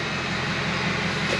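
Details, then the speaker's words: 6.0L Powerstroke diesel at idle after reseating the faulty EBP sensor (EBP now reading correctly): steady airy turbo whoosh over constant idle, no surging or flutter; turbo vanes sound normal, unlike the EBP-sensor fault condition. "Right away I can hear a difference in the turbo vanes"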